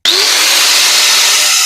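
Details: Bosch GWS 14-125 CIE angle grinder after slipping and foreign noise, repaired with new gears, brushes, bearings and flange, gearbox regreased; smooth even high-pitched whir, no rattle, grinding or slipping; running normally.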